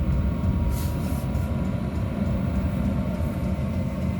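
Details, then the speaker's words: First start-up of a 5 kW Chinese diesel heater with LCD panel, custom-mounted in a 2000 Argo. Heat building, it settles into a steady, even low roar with a faint constant whine and no surging or popping, running normally. "oh and she's starting to steep up oh my gosh can you hear it oh she's steeping up like a jet engine oh and the heat's getting"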